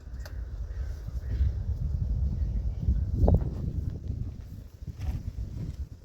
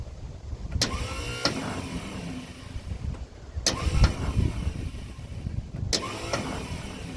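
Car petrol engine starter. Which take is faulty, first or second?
second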